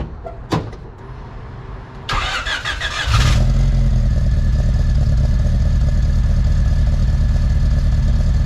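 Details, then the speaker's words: Honda D16 VTEC track car with a big cam, cold start after sitting an hour: it cranks, catches and settles into a deep, loping, uneven idle, the lumpy cammed idle wanted from the cam. "very lumpy idle. So, we're loving that. It's exactly what you want if you put a cam in your car."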